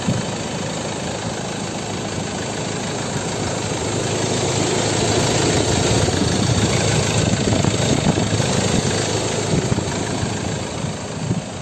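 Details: Ford Ranger XLT 2.2 diesel, manual, 4WD, built 2016, idling: even diesel clatter that stays level and rhythmic with no stumbles or odd knocks; a healthy diesel idle.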